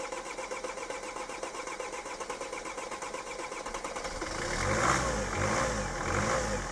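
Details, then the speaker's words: Mercedes Sprinter van diesel unstarted for five years, used as a yard shed: steady cranking pulse for about four seconds drawing fuel from the tank, then catches and revs unevenly; long crank before starting. "and then flop out and then we had a crank on it a bit to draw some fuel from the tank that's not really bad after five years and that's pretty reasonable"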